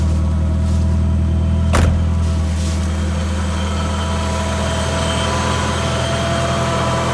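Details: 1993 Nissan 240sx project car that needs a radiator, thermostat and belts, started on a fresh battery: settles into a low, slightly lumpy idle with an uneven pulse and faint hiss; runs but rough.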